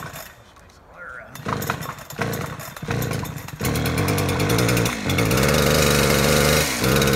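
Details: Chainsaw deliberately flooded by pulling the choke, then choke pushed back in and throttle held: a few quiet pulls, then it catches and settles into a steady, loud high buzz; flooded saw cleared and runs fine.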